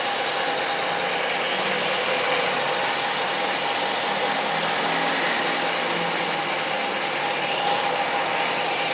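Near idle there is a steady high-pitched whir with a light, fast ticking chatter over a thin engine hum; source unclear.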